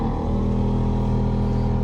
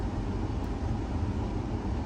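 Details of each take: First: 1992 Ford F-150 Flareside heater blower motor running: constant droning hum with a rough low rumble, worse over bumps, something loose inside; worn, noisy blower motor to be replaced. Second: 1992 Ford F-150 Flareside after blower motor replacement (old one noisy, worse over bumps and at shutoff): steady low fan rush with no squeal or rattle, winds down quietly at shutoff; normal blower operation.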